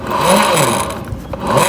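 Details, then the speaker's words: Honda BeAT FI scooter CVT with rumbling complaint: pulley spun by hand gives a coarse, gritty, uneven rumble instead of a smooth spin; worn bearings, to be replaced. "Ini biasanya itu dikarenakan bearing bambu sama bearing yang ada di dalam ini udah aus ya."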